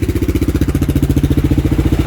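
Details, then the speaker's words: Kawasaki single after a doohickey (balancer tensioner) replacement with the Eagle Mike kit and the chain tension slackened: steady, even thump at idle, no ticking on top; the ticking from before is gone, running smoothly. "when it was stuffed is gone. All sounds pretty smooth."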